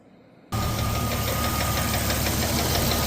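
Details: Jeep Cherokee 4.0L at 345,000 miles with a cracked piston: loud, hard, sharp metallic knock about four times a second over a rough idle, a broken piston skirt slapping the cylinder wall.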